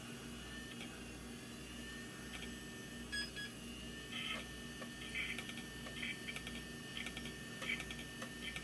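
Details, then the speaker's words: Old IDE hard drive on an intake test bench, not detected by the computer, jumper possibly needed; irregular high chirping and scratching over a faint spin hum as heads seek all over the place; erratic seek noise, failing drive suspected. "head going all over the place though, doesn't it? Okay, this one is not found."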